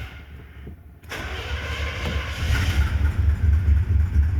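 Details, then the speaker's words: 1970 Chevy Impala 400 small-block, revived after abandonment, fresh gas in tank, primed with electric pump then disconnected: quiet a second, then catches into even steady idle with low regular beat; normal start. "Okay, drain your electric fuel pump. Crank her up, see if she'll run."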